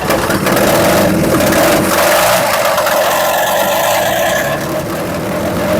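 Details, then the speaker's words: 1963/64 Chevrolet C10 step side, warm enough with choke open, idling: loud rough idle with fast uneven chuffing about four per second; suspected exhaust leak. "I'm going to say I think we have an exhaust leak. Okay? That noise is not common."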